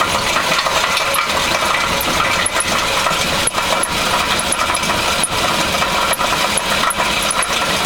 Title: 2000 Honda Civic Knocking Noise Catalytic Converter Exhaust Problem